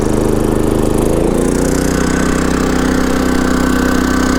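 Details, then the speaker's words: Champion 3400 dual fuel inverter generator in economy mode with the 1200 W heater switched to high: about a second in, the engine note climbs and settles at a higher steady pitch. RPM rises normally with the load. "Putting it on high, you can hear how that kicks up the RPMs. And even on high, it's still on the economy mode."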